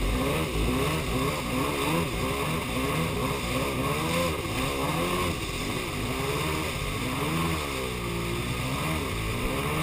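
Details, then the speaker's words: Superjet twin-cylinder engine running as if on one cylinder, began after refuelling; fresh gas didn't help, compression even, water flowing: revs rise and fall unevenly with ragged note and no clean pull; owner suspects ignition or plug wires. "Thought it was bad gas, but swapped that out and it's still doing it, so maybe not as bad, but it's still doing it. It's pretty much as bad."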